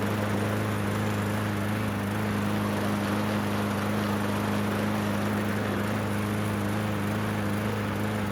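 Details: Yard Machines mower after drive cable and blade replacement, fresh oiled air filter, oil level checked: even, steady single-cylinder drone with constant low tone and no knocks or misses; normal running.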